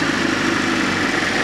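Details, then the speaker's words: Fiat Panda 4x4 Sisley, FIRE engine, after a water pump replacement, hot at working temperature with the thermostat open: smooth, even idle hum with none of the earlier grinding from the pump area. Normal idle. "yeah it's all up to uh a nice hot working temperature the valve's definitely opened up and I'm getting no grunty grindy sound so to me that is definitely a job well done"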